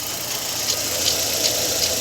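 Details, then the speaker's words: Fiat Fire petrol engine idling: a dry, rattly timing belt tensioner bearing rasp with faint ticks two or three times a second; the car has no air conditioning or auxiliary bearing. "e a um pequeno barulho aqui de rolamento vocês no vídeo vai sair a rumorosidade vinho rack rack rack Zinho"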